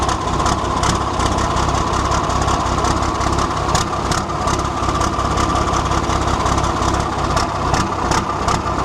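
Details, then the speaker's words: 1973 Volvo G89 truck with TD120 diesel engine rated at 320 hp, on a 24-volt start system, restarted after bleeding the fuel system: a heavy diesel clatters at a steady, loping idle with no stumbles or knocks. "It makes your eyes water, not only for the smoke, but the sound of it is just absolutely beautiful."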